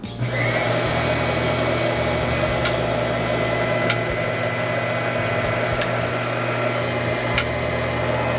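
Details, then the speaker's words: Newtry water-driven doser in a garden fertigation system, dosing calcium nitrate into a four-gallon watering: steady pump hum with a sharp click about every 1.5 seconds; the doser is pumping normally. "You can hear it working. The clicking sound is the doser. It's pumping. It's a water driven pump."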